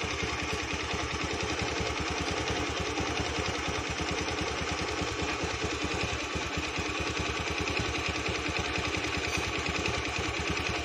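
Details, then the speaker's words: Honda Beat scooter at idle with a steady, evenly spaced ticking knock ("klitik") from inside the engine; cause not yet pinned down, suspected only. "Hai motor klitik klitik ada suara motor klitik klitik"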